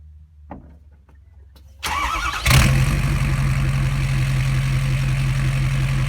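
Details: 2012 Ford F550 6.7L Powerstroke diesel with the exhaust ending at the pipe after the headers, mic 16 inches from the open pipe at a slight angle: short crank, then a deep, loud, choppy idle rumble from the open exhaust.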